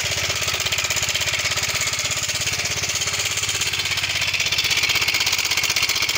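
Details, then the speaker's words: Yamaha Mio 125 (M3) with a rough engine noise and oil level OK: fast, even light ticking at about four per second over the idle. Mechanic suspects the cam chain and goes to adjust the tensioner. "Ee untuk mencari sumber dari suara yang eteketeketeketeketek itu tadi ya teman-teman ya ee kita akan mencoba sini teman-teman mengatur dari lift Tensioner"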